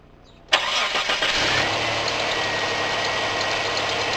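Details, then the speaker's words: Mitsubishi restarted warm after cold start at 8° following 3 weeks sitting; brief crank, catches at once, smooth even idle, slight alternator squeak; earlier long cranks and rough idle caused by fuel pressure loss, some loss remains. "Started well for 3 weeks and still got a little bit of pressure loss in the fuel system, but we'll get it sorted."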